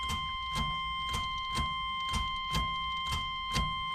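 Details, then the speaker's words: 1988 Chevrolet S10 Sport ZQ8, sitting since 1994: slow, even cranking about twice a second under a steady door-chime buzzer, with no fuel pump hum. It cranks and has spark and air, but the fuel pump isn't priming. "so that's a good sign still don't hear the fuel pump coming on though course this buzzer isn't helping any"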